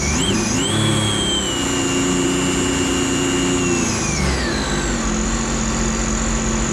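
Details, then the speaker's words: Rebuilt 300 engine (timing chain repair) in a personal watercraft, first water test after install: smooth steady note that revs up, holds and eases down cleanly, no knocks or rattles, no leaks or check engine lights; running normally. "it sounds good to me it sounds good we out"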